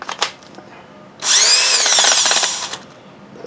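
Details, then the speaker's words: Makita BHP452 18V hammer drill, used and dirty, before restoration, on a weak battery: spins up about 1.5 seconds with rough grating whir instead of clean hum; dirt-clogged gearbox. "sound good shut down something going on here yeah turn it down well I'll take them apart and clean them"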